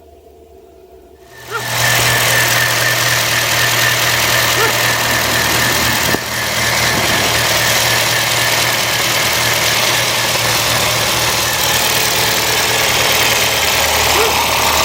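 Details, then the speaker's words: Honda Fit after coil pack replacement for cylinder 3 and 4 misfires (old coils overheated with hood closed), warming up at idle; catches and settles into steady, even idle with no stumble, misfire gone: smooth idle. "Okay, so I got to clear those because it doesn't sound like it's got a misfire anymore."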